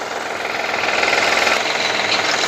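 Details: Honda Elysion 3.0 V6 with cylinder deactivation, warm idle: fast even ticking knock worsening as it warms, heard via stethoscope from the oil pan and first head; traced to worn timing belt tensioner and idler pulley.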